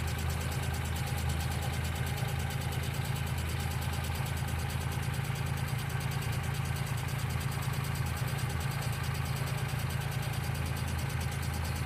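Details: 1995 Geo Metro small engine idling with a light, fairly even tick about three per second, sounding like valvetrain or lifter tick (suspected, not confirmed); B-12 fuel injection cleaner added to the engine oil before an oil change.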